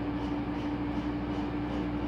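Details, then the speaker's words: 2015 Whirlpool Cabrio washer on high spin, slowly ramping to 850 rpm: steady even motor hum at one pitch, no knocks or rubbing; normal spin. "ramping up the 850 but yeah going up yeah it's about at 8 50. that took a while to ramp up"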